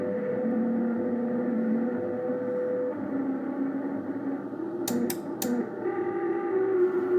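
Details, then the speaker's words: Ten-Tec Paragon 2 radio on WWV 15 MHz, volume turned down: low hum under steady tones that jump in small pitch steps (about 100 Hz), suspected synthesizer/PLL noise or audio ground loop, cause unclear. "I turn the volume down, you could hear it still stepping in 10 kilohertz, or I'm sorry, probably like 100 hertz here."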